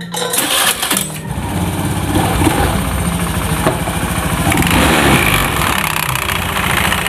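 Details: Honda Beat FI scooter with CVT cover opened, very dirty inside: engine running with irregular metallic rattle about three or four per second; CVT rattle, cause suspected, not confirmed.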